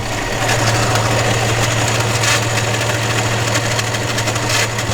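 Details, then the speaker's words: Steady low hum over an uneven idle with no knocking from a high-power Ford Barra engine; a peculiar whine that owner thinks sounds like the power steering pump, not confirmed. "it sounds like a power steering pump I don't know it is what it is"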